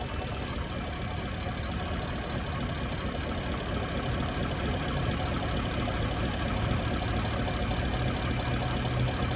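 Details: 2018 Ford F-150 V8, noise while driving: loose uneven knock roughly two a second under steady low engine drone; cause unknown; engine knocking.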